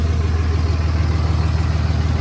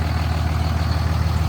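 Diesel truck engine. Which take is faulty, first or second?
second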